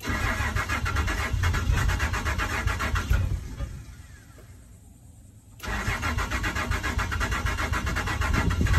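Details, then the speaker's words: Truck starting after new compression fittings were fitted: first it seems to want to start but won't fully catch, then a lumpy, uneven idle that sags nearly to stalling and stumbles on, with smoke out the back; cause unknown. "that sounds so ugly oh and there's smoke coming out the back of the truck"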